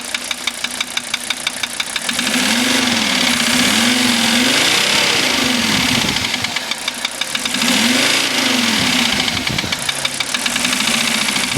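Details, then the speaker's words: 1985 Mercedes 300D diesel at idle, just revived with rebuilt starter, adjusted valves, new glow plugs and a diesel purge: sharp, regular tick about three times a second over the clatter; knock source not yet identified. "But it's got this tip when it runs. Obviously, you can hear it."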